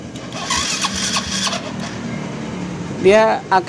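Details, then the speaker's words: Yamaha Vega motorcycle with the starter motor fitted, still on the same battery: the starter turns over slowly in sluggish pulses, about three a second, and never catches. The battery is suspected of being too weak for this bike, not confirmed. "Nyalakan mesin, dengarkan dengan saksama. Ia ingin berbelok, tetapi gerakannya lambat."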